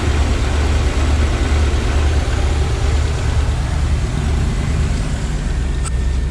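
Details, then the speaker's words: Ford RV V8 after new injectors, Accel coil, plugs, cap, rotor, wires and MAP sensor: deep, steady idle with even firing and no misses; slightly hard starting as ignition timing is still a few degrees off. "does sound a lot better i do have to set the timing on it that's why it was a little hard starting right there"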